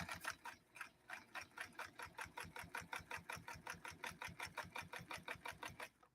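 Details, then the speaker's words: Vintage Necchi Lelia 512 sewing very dense leather, second run with more throttle after needle stalled: fast even jackhammer-like thumps four or five a second; sews strongly, stitch balance spot on. "don't you love the sound of a machine working you can hear it just going almost like a almost like a jackhammer almost like a jackhammer going after something"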